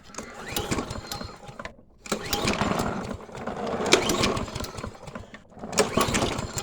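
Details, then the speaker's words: Toro 22-inch Recycler walk-behind mower, reassembled after sitting disassembled, fed two-cycle mix to start: engine catches in ragged bursts, stalls twice and restarts unevenly, never steady, oil spewing; surging, dying from clogged carburetor main jet. "all right you know what that means we have a clogged jet and oil spewing everywhere"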